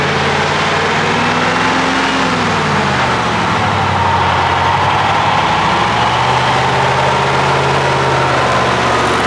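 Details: 1979 Ford LNT9000 with Cummins V8 diesel, first start after sitting: idle pitch swells and dips then settles to steady rumble; owner suspects air from low fuel tank or blocked fuel filters, unconfirmed; engine surging.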